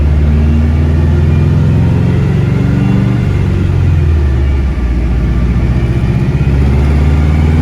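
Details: Dyno full-throttle pull after fitting new coils on cylinder 4 to cure a problem: deep, even roar held steady under full load with no misses or stumbles, pulling clean; about 323 wheel horsepower and 300 torque; normal full-throttle pull.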